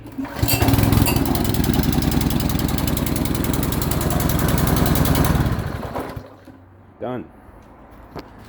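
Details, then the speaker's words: New Simpson PS3228 Powershot pressure washer engine, cold start after adding oil to satisfy the low-oil sensor that blocked starting: catches at once and runs steady and even about five seconds; normal running. "works real easy if you add the oil"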